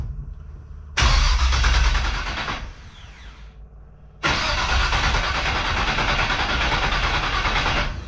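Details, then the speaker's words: 1969 Camaro rat rod with a replacement engine: the starter cranks in two long, even bursts but it never fires because the distributor was not connected to power. Crank, no start, no spark. "Oh, wait, I'm stupid. I gotta hook up power to the distributor for it to actually throw a spark."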